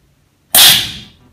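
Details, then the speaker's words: Portable oxy-acetylene set, oxygen cylinder at 200 bar, valve cracked open and shut quickly before fitting the regulator to blow dust from the threads: one sharp loud half-second hiss; normal oxygen cylinder valve purge blast. "parce qu'à l'intérieur de la bouteille l'oxygène est comprimé à 200 barres et quand elle sort ça fait du bruit"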